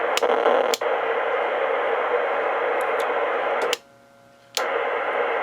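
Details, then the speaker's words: Icom IC25A 2 m VHF FM transceiver bought at a hamfest, first power-up: loud constant receiver hiss that cuts out only briefly once; squelch not closing, later traced to leaky capacitors in the squelch section. "Oh, didn't like that. See, the squelch doesn't seem to be working."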